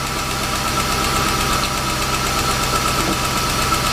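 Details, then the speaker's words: 1998 Jaguar XJ8 Vanden Plas V8 after throttle body cleaning to cure phantom stalling: steady, even idle with a smooth hum, no hunting or stumbling, a normal idle. "all right so that's how you clean the throttle body so you don't have that phantom stall issue with your Jaguars"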